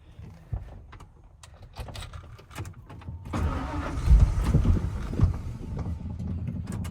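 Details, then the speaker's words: 1992 Ford F-150, 223,000 miles: starter grinds briefly, engine catches and settles into a steady idle that stays a bit fast; high idle, owner suspects throttle body setting needs adjusting. "Let's hear it run. I think I might need to adjust the throttle body setting on this one. Just idle's kind of high."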